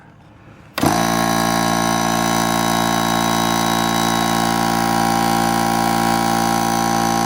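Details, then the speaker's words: Central Pneumatic (Harbor Freight) 90234 air compressor after repair of seized pump, connecting rod edge lost some metal: sharp start then steady even hum, no knocking or grinding; sounds much better than before failure. "sounds a lot better than it did right before it failed"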